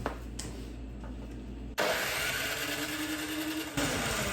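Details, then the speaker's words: Snow blower engine with a reassembled carburetor: the pull cord is yanked and the engine whirs and sputters briefly with an uneven rising note but never runs; it spits fuel from the exhaust, and the owner suspects the carburetor is still clogged. "Oh, something on this carburetor is still clogged."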